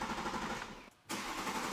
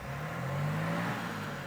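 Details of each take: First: Rebuilt wrecked BMW X5: steady starter cranking about four turns a second with no firing; owner then primes the fuel pump and suspects the starter is getting fried; crank no start. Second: Cold BMW X5 diesel, rebuilt after being bought wrecked, first start: light revs under 2000 rpm, pitch rising smoothly with no knocking or banging; normal engine rev.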